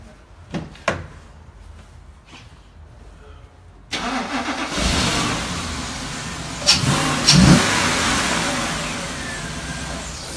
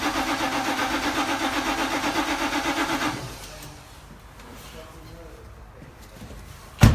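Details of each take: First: C7 Audi RS6 with no fault codes, traced to the coils' earth; with a temporary earth lead slaved to the coils it cranks, catches cleanly and revs smoothly with no stumble. Fault fixed. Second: C7 Audi RS6 with poor starting: starter cranks steadily at about four pulses a second for three seconds but never catches; fixed by slaving an earth lead to the coils. Hard starting from bad ignition coil ground.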